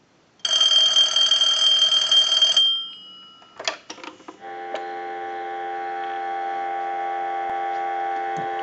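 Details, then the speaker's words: Bell South clear Lucite Trimline telephone, final ring cycle: bright, rapid warbling ring for about two seconds, then a steady clean tone. Normal ringing, no sticking. "we're going to ring it one more time we'll let it go a few times we want to be assured that this is going to work in any location i'll let it go one more time"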